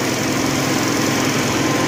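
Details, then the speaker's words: Honda generator/welder after recurring fuel issues, fixed by replacing electric fuel pump/solenoid valves with a fuel tank selector valve: steady even buzz at constant speed, no surging or misses; running smoothly. "I think I finally have it after literally months of experimental parts and pieces. Let's fire it up. Adam. Sounds good, doesn't it?"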